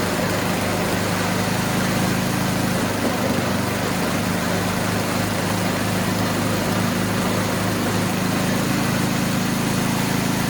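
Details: Toro Power Shift 624 snowblower after new drive and auger belts were installed, belts possibly needing slight adjustment: even, steady small-engine drone with a constant low hum, no knocks or slipping squeal; runs smoothly.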